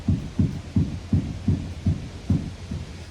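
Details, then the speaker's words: Jeep Grand Cherokee front suspension rocked by hand: dull regular low clunks, almost three a second; lower ball joint moving about a quarter inch causes the rattling. "in fact you can see it going up and down it's moving almost a quarter Maybe a little more than a quarter of an inch on that ball joint and that's what's making all that rattling"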